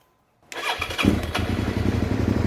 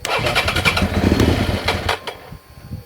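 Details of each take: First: 2003 Suzuki SV650 that cut out after a new fuel pump, suspected debris in the injectors; reassembled after the tank and airbox work, the fuel pump primes, then a quick crank catches into a steady, even idle; it now starts and runs. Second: 2003 Suzuki SV650 with a recently fitted new fuel pump; the engine fires, runs ragged for about two seconds, then stumbles and dies while the pump is heard running; owner suspects the pump dragged debris into the injectors, clogging them.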